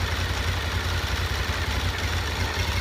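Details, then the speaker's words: Honda VFR 750 after clutch basket repair for a hot-engine knock that worsened with the clutch pulled: even, low idle beat whether the clutch is pulled or released, only camshaft/valvetrain chatter; the knock is gone. "puszczany, słychać pracę wałków rozrządu i tyle. A tam ledwo coś jest, zrobiło się znacznie lepiej, no cóż, w zasadzie pukanie ustąpiło i nie stuka wcale"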